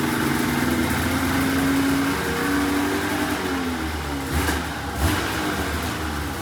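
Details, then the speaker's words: $500 2004 Polaris RMK 800 two-stroke snowmobile, first start after head reinstalled with used O-rings, cold: revs up and settles with clean even pitch, no misfires or knocks; runs healthy. "oh wow it actually sounds pretty good"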